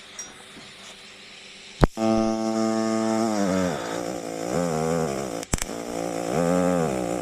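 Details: EWM Tetrix XQ 230 Puls AC/DC Expert 3.0 TIG welder, pulsed: soft steady buzzing arc with slightly wavering pitch, no crackle, almost no noise; welder notes occasional small arc clicks of unknown cause. Smooth normal pulsed arc.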